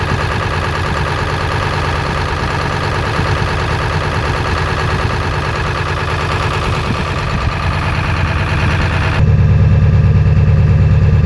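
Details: 7.3 diesel with blow-by and twin pyrometers, idling: heavy idle with a steady clatter and an uneven, lumpy beat about three per second; rough idle, cause not pinned down.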